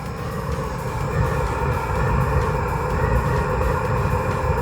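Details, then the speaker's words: Eberspächer Hydronic 10 kW diesel heater on high, flame detected, before burner change: heavy, uneven low roar with rough flutter instead of smooth burner hiss, throwing black particles; not burning correctly, burner suspected. "it's clearly that it's not burning correctly so something is up like I said I suspect the burner"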